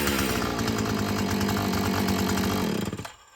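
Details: Filthy Husqvarna 445 chainsaw, primed and drop-started: rough, uneven buzz at speed sags, falls off and dies within a second. Bogs on throttle; mechanic suspects it needs carburetor adjusting and cleaning and hopes the old diaphragm softens up.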